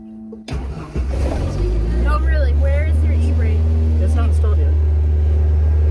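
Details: Ford Pinto wagon with a swapped-in 2.3 EFI engine. The engine catches and flares, then holds a fast, steady drone that won't drop back toward normal; oil pressure and temperature are good. High idle.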